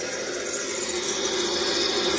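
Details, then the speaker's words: Furnace draft inducer motor, found stuck causing pressure switch not closing and lockout, run by jumping R to W: harsh rasping whir with hissy edge; worn-out inducer gets hot quickly and needs replacing. "okay so we're gonna jump R to w ow let's see if we can get this guy oh that sounds terrible oh man"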